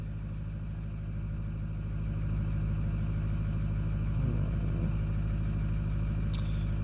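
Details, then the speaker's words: 2009 Ford F-250 6.4 Powerstroke diesel (emissions deleted) after #7 injector replacement and injector adaptive table reset: low, steady idle settling evenly with no misfires and idle speed within spec, though still slightly vibrating. "It's still vibrating and stuff, but at least the engine sounds like it's running evenly a little bit."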